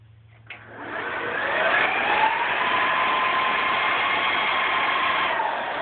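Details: Dell PowerEdge 2970 server, cover refitted, powered on: its 4 fans roar up within a second and climb to a steady, even whine with no rattle; normal, healthy fan spin-up at power-on.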